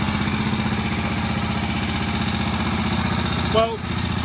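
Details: Barn-find Moto Guzzi single after head work, first run since the mid-80s: steady thump at a slow, slightly uneven idle with no knocking or rattles, a bit smoky; idling fine, needs some adjustment.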